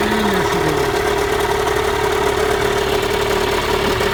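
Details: 1986 Mercury 35 hp outboard, just after a new water pump was installed: steady, even idle with a constant mid-pitched drone and no knocks or misses; normal idle.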